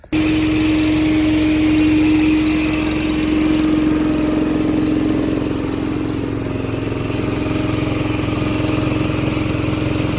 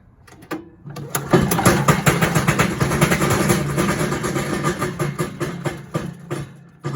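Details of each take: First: Little Wonder 13 HP Honda-powered leaf blower after repair and a new spark plug replacing a fouled one; carb still needs work. Steady, even running with smooth fan rush and no banging; normal running. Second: Little Wonder 13 HP Honda-powered high-output leaf blower, about 5 years old, just pull-started on choke. Uneven clattering knock over the fan roar, something hitting inside.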